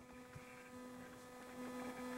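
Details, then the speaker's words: 600W inverter on a small booster pack powering house circuits, about 70 W load: steady electrical buzz with thin whining tones over a low hum; it doesn't like multiple CFL bulb loads but still runs them, probably not good for it. "do you hear that weird sound this doesn't like multiple loads of CFL bulbs but it does run it which is good"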